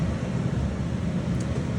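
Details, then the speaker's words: Hamilton 12HF furnace humidifier after DIY install, heat on: steady, even low blower rumble with no rattles, squeals or surging; light green, periodically blue as water kicks on, filter damp; furnace and humidifier running normally. "So, I turn the heat on and looks like it's working. Uh, lights on here. Green. Periodically, I I see it turn blue and I hear the water kick on."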